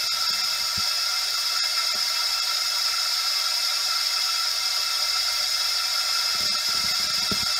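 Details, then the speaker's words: Honda ST1100 Pan European leak-down test, engine off, via modified spark plug adapter: steady even air hiss, pressure dropping then stabilising; somewhat louder than previous cylinder, compression leaking past piston rings. "le bruit m'a l'air d'être un petit peu plus important que le dernier cylindre que je viens de faire"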